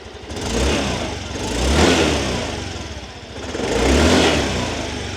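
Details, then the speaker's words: Used 2023 Yamaha Grand Filano Hybrid scooter with stock exhaust: two smooth throttle blips rising and falling cleanly, even exhaust note, no misfire or rattle and no white smoke; healthy original engine. "คราวนี้ลูกค้ามาลองฟังเสียงท่อกันเสียงท่อรถเดิมๆนะครับเดี๋ยวจะลองเร่งเครื่องให้ฟังเสียงได้ชชัดเจน"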